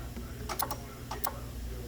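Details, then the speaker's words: 2012 Hyundai Santa Fe, AC compressor manually powered by jumping the AC compressor relay socket pins: a few sharp separate clicks about half a second apart over quiet engine, compressor clutch engaging normally. "when you do this you are providing power directly to your ac compressor which will cause it to engage now i can actually hear the compressor respond when i do this"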